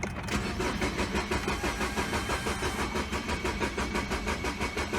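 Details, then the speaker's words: 2012 Mini Cooper Countryman 1.6 L four-cylinder, shut off while driving, no check engine codes: starter spins engine evenly at three beats a second for five seconds, never fires; cranks but no start. "engine cranks but does not start"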